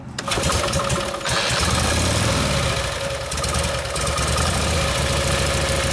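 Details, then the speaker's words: 1952 Harley panhead FL bobber after a Linkert carb rebuild and tuning; big twin settles into a steady, even loping beat with no misfires; runs well, mixture may need slight adjustment. "well that seems to be working good now so you would you might have to play the mixer a little bit but it gets close"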